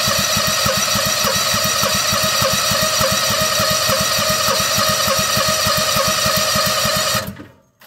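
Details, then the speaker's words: Bobcat skid steer with Harbor Freight Predator 670 22 hp engine swap; fast uneven chugging about three beats a second then abrupt cutout; hard starting, won't keep running, owner suspects fuel line, possibly fuel starved; considering new carburetor. "give it less throw still turning foreign I totally think it's this fuel line"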